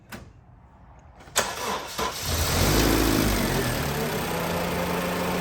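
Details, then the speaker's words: Honda Civic at start-up: a short, sluggish crank with a slight hesitation before it catches and idles. Slow cranking from a weak battery that needs replacing, with corrosion on the battery. "hear that little hesitation that's how I know it needs a battery and it has this piece of corrosion"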